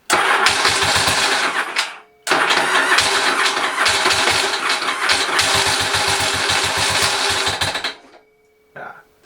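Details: Engine on a spare motorcycle engine cranks and catches, then a quick uneven ticking runs through the idle from the top end; the cam sprocket bolt keeps coming loose despite being tightened past 55 Nm.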